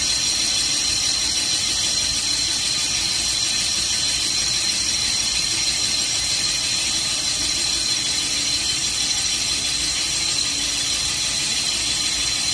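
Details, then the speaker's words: 360 Mopar small-block finish-boring pass, about 10 thou out, 5 per side, after straightening the crooked bore: steady high singing squeal with slight unevenness as the cutter bites heavier on one side near the chamfer, an interrupted cut. "You can hear that unevenness, and that's where it's pouring more on one side than the other."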